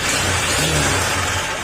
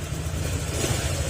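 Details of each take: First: Honda Click 125 scooter, about 60,255 on the odometer, revving with a metallic clatter over the engine that grows with revs; side cover removed ruled out pulley, slider pieces and backplate, so the knock comes from the crankshaft connecting rod. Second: Honda Click 125 after overhaul with new block and piston, oil refilled, still in break-in: even low putter at idle with no ticking or knocking; former noise gone, engine runs quiet and smooth.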